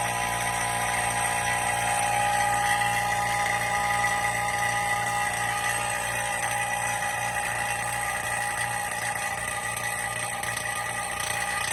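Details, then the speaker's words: Sub-Zero UC-24BG/S/TH 24" wine cooler sealed-system repair, vacuum pump about 2–3 minutes into pull-down as its noise begins changing; steady low drone with even fast pulsing, no knocks or rattles; normal vacuum pump operation. "Run your vacuum for about 2 minutes or 3 minutes, and then after that, after 2 minutes, you see your vacuum is changing its noise too. Right now it's a different noise."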